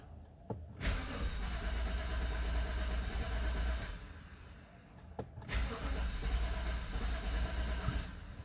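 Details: 2012 BMW 528i (F10), cold engine in the morning: two cranking bursts of about three seconds each with a pause between, and the engine not catching cleanly. Hard cold start needing multiple attempts, solved by replacing the faulty eccentric shaft sensor.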